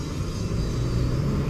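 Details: 2007 Toyota (Yaris) with prior no-power, over-fuelling and strong petrol smell, suspected oxygen sensor; engine revs with a deep, even rumble, pulling cleanly without stumble or hesitation; normal revving.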